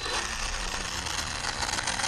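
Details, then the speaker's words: Arrma Kraton RC truck on 4S, wheels up on gentle throttle: rough, rattly grinding with quick ratcheting clicks. The front diff output grub screw had backed out and was slipping on the main input shaft. "came loose or something and that it's just spinning uh or the output at the front diff"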